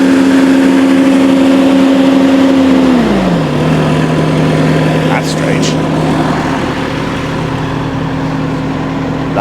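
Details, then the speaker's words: Kubota skid steer revved up, rattle heard the previous night from the hydraulic fan motor not present this morning: steady drone easing smoothly to a lower note, no rattle; normal revving. "And this morning, I'm not hearing it rattle. So, what in the world is going on? That is really strange."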